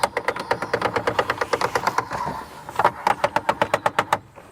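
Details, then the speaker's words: Mercedes E-Class convertible boot divider, before repair: it stops short of fully down and sharp ratcheting clicks come about four a second in bursts. Hand-assisted to the end it stops; owner suspects gear jumping or missing teeth. Motor slip clutch ratcheting. "so when I push the button on mine you'll notice the divider starts to come down but it never comes to the fully down position and then it starts to make an awful ratcheting"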